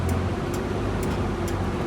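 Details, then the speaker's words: Prevost 35' bus, Detroit 6V92TA diesel, after maintenance; sharp tick about twice a second over the diesel drone from the cooling fan hitting the shroud, which was never screwed down; temperature still low around 140; fan striking shroud. "you were gonna screw that fan the shroud oh oh we did not do that that's what that clicking that's the first time i heard that i forgot all about that"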